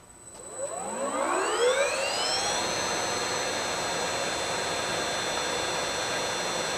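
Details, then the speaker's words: Allis-Chalmers 15 HP motor driving a Sturtevant #6 blower, started on a VFD after drying the wet windings to about 80 megohms at 1000 V: smooth whine ramps up then holds one steady even tone with no knocks or rubbing; healthy. "Sounds pretty healthy to me. Just gonna let it sit there and run a while and get a couple hours on it and then go from there."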